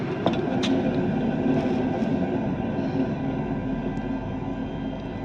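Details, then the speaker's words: Renault Zoe (2019–2024) wound-rotor traction motor with rotor removed and spun by hand: rough gritty rumble slowly fading from the worn lower bearing; the other bearing is much quieter. "Вытянули ротор с мотора, и вот слышно, как у нас шумит нижний подшипник."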